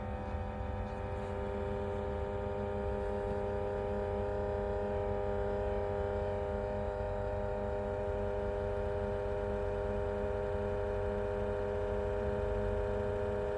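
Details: Pioneer NEX car head unit, owned a couple of years: steady high whine at constant pitch over a low hum on startup, getting worse.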